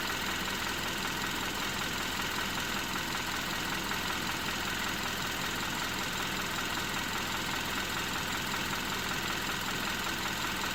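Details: 2012 Hyundai Accent petrol engine idling steadily with a faint, fairly regular knock of about two to three beats per second; cause unknown, owner asking what it is.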